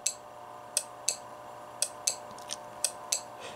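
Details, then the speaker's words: Relay sharply clicking in and out at uneven intervals, about once a second, as 5 V from a power supply energizes the coil of a fog machine controller relay hack; normal relay clicking. "that's the relay or electromagnetic coming in"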